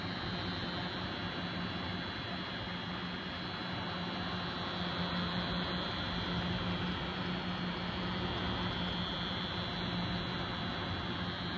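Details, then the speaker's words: Noctua NH-D15 CPU cooler with the fans in a pull configuration, sucking air through the fins: steady fan rush with a constant low buzz and a faint high whine. It is quiet in push configuration, and the clips are tight. "closer hopefully you can hear that buzzing sound so if anyone has any clues on what might be causing that buzzing sound um just probably put it down in the comments below"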